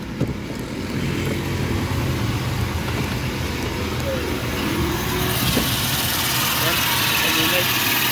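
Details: Fairly new Toyota Revo gasoline engine, distributor type, towed in for excessive noise, idling with hood open: rough gritty rasp like a dry bearing at the front of the engine bay. Cause suspected, not confirmed. Engine grinding noise.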